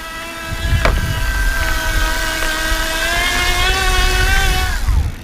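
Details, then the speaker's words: Kranked E Squared e-bike drive kit (18:1 step-down, about 30 mph top speed) connected to the bicycle drivetrain, ridden on a crowded path with the throttle gunned after pedaling; buzzing motor whine rises with throttle then drops; noisy but normal motor. "But you can hear the noise. You can kind of hear it buzzing, definitely."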